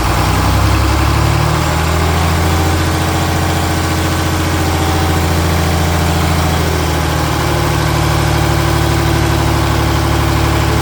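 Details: John Deere 4020 Hi-Crop Powershift diesel, first start, engine untouched, fresh fuel, primed with ether: heavy clatter whose speed drifts up and down unaided, no throttle response; unsteady idle, owner suspects injectors or pump.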